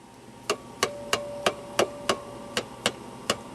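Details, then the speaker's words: 1940s (probably 1948) homebrew miniature personal tube radio, first power-up after restoration work with the A battery and 45 V B battery in and the filaments glowing. Sharp clicks and faint ringing pongs over hiss show the audio section works, but no station is received. "a faint pong pong but that means audio section is working we do have filament no audio though"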